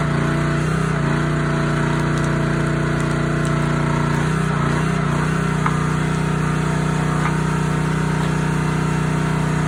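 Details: Honda GX160 SplitFire wood splitter after carb clean and oil change for bogging when splitting; runs steady and even, brief dip as it takes load then recovers smoothly, sounding healthy under load.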